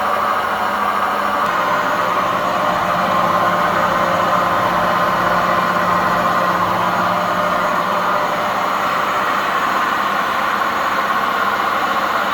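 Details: Old washing machine making a loud continuous rough roar with rumbling grind during the spin; owner cites worn-out bearings and poor suspension.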